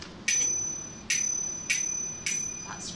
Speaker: So people can get out of your way. I think if somebody is in a car, they don't hear that bell, but if somebody is walking along or crossing the road in front of you, that bell is important.